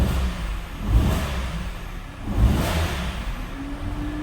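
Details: Peugeot 207 1.6 95 hp petrol: the idle is uneven, with a stumble and surge about every second and a half. A cylinder is misfiring from a failed ignition coil; replacing the coil made it run right.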